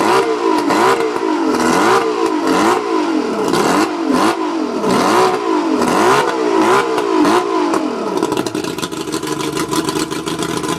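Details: Mercury 135 outboard misfiring under throttle: repeated rev blips rise and fall about once a second, but the note stumbles and sounds uneven. Spark plugs suspected, not confirmed.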